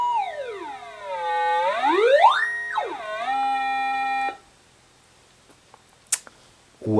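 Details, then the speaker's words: Atari 5200 four-port console after repair of its audio circuit: clean sweeping test tones and steady notes with no buzz, hiss or crackle; sound output now working normally. "I would call that a successful test it would look like we have audio working"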